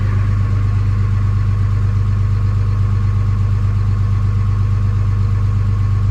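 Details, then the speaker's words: Early 2007 Ram 3500 5.9 Cummins diesel, G56, 326,000 miles, cold at 31°F, automatic factory high idle; steady deep rumble, even and smooth, no knocks or misses, healthy. "Oh, there's high idle. So that was just automatic high idle."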